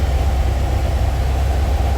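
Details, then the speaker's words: 1956 Alfa Romeo Giulietta Spider after reinstalling rebuilt generator with fresh belt, battery recharged: even low rumble held at about 1500 rpm fast idle, no knocks, squeals or misses; running well. "Looking pretty good. I'll actually hold the RPM up. We're at about 1500 now."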